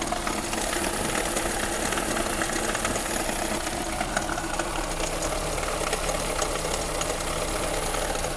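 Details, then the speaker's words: Jeep Renegade engine idling: constant rattly whirr from the front, from the water pump, whose pulley has play; fix is replacing the water pump; water pump bearing noise. "Esse barulho, ó. O seul e vem aqui, ó, da bomba da bomba d'água aqui, ó. Dessa bomba aqui, ó. O barulho ele vem dessa folia."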